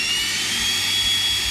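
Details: Electrolux EWF771 7 kg front-load washer whose motor would not turn although water filled and drained: the relay now engages and the motor turns. Even high-pitched whir with a soft hiss, no clicking or stalling; the motor runs freely and normally.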